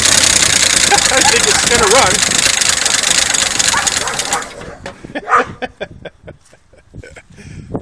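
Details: 1972 Chevy pickup, first start after sitting 24 years in a pasture, primed with gas, possibly no exhaust: rough run with busy fast tapping clatter for a few seconds before dying; top-end tapping, cause uncertain.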